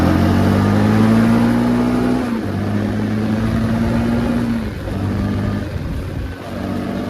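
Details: 2005 Can-Am DS650 big-bore quad with restricted muffler, ridden after getting it running: single-cylinder thump rising and falling with throttle, pulling cleanly without misses or rattles, a bit muffled and not as powerful as expected; normal running.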